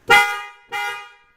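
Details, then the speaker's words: Horns on a 1999 Mercedes ML320 after replacing both horns, whose contacts were badly corroded: two short, loud, bright toots with a clean steady tone; the horns now work normally. "Now I'm good. Horns are loud enough that they will work, and I should be good for another couple years, so I might have trouble with them again."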